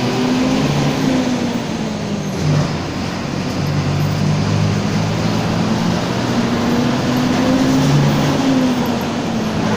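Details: Torino 2007 bus on an OF-1722M chassis, line 314, recorded 19/11/2018, moving: steady drone with a low howl rising and falling in pitch with road speed; roaring (roncando), worn differential whine.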